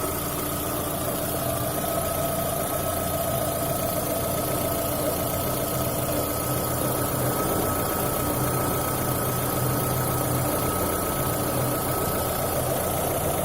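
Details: VAZ 2110 after exhaust manifold (spider) replacement: steady idle with a thin whistling tone over an irregular low rumble; abnormal noise at idle, possibly a leak after the manifold job.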